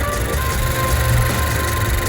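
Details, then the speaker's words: Honda CR-V turbo idling after repairing a chipped, dropped valve that caused misfiring: steady, even low engine rumble with no skips, partly covered by music; engine now smooth, revving fine. "Ini kondisi mesin setelah pengerjaan pergantian klep turun setengah. Ini udah enggak ada pincang ya."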